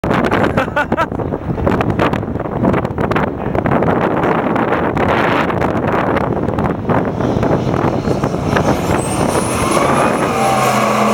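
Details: Stock 48cc two-stroke engine buzzing harshly and unevenly at high revs, sounding lean and fuel-starved; owner suspects forgotten fuel pump, unconfirmed.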